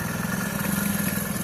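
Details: Old kick-start-only Hero Splendor after bearing repair: a steady, even single-cylinder idle with a smooth low beat and no knocks or rattles, much quieter than before the repair. A normal idle.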